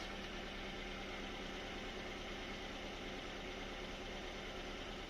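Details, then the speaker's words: 1992 Lexus LS400 1UZFE V8 after fuel pump replacement and injector earth fix, running about 10 minutes on a very cold night: smooth steady idle, even low hum, no knocks, misses or hunting; normal idle. "sounds good lovely Happy Days see how it's running outside it's lovely"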